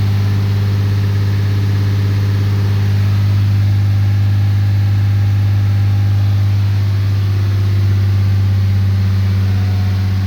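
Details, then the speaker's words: 2013 Ram 3500 6.7L Cummins after fixing a fan clutch that was locked up all the time, revved to 2,000 rpm at 112 coolant temp: steady deep diesel drone with no jet-like fan roar, as the fan clutch now disengages normally. "There, now we can drive this thing around without it sounding like a jet taking off."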